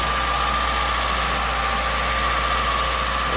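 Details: 1989 Acura Integra LS D16 being built for turbo, first start after a new timing belt, water pump and radiator; steady even idle with a faint constant whistle on top, no knocks or misses; normal idle.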